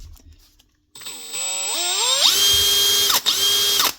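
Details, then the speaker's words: Makita DHP481 cordless drill after relubricating a bone-dry, rough-sounding gearbox and fixing a start-stop switch fault: winds up through a rising whine to a steady, smooth hum, no grinding; normal running. "Now, see what she runs like now. Listen to that. That's some difference. That's exactly what it was."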